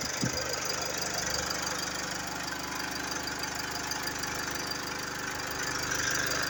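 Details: Mercedes GLE 250d 4Matic diesel at idle, steady light knock about three times a second over the engine sound, source not pinned down; engine knocking noise.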